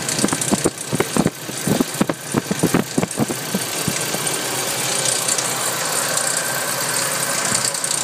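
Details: Nissan 240SX engine at idle: irregular metallic rattling in short bursts over a steady idle for the first few seconds, then it smooths out. The source of the rattle is still not found.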